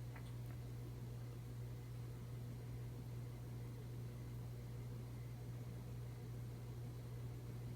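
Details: 52-inch Emerson Heat Fan, motor dated October 1981, on its original Emerson solid-state speed control from 1982: steady low electrical hum under the air whoosh; motor hum from the solid-state control.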